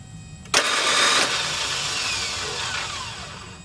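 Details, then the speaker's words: Ford F250 7.3L T444E diesel with new high-speed aftermarket starter: sudden high metallic whir winding down over three seconds with no cranking, gear not meshing flywheel; fixed by removing the original spacer plate as new starter's gear throw is shorter. "well that doesn't sound good let's see what's going on all right what uh what i ended up doing was removing that spacer plate in there i didn't realize that the uh the throw of the the gear coming out was you know well the whole design was shorter than the original one"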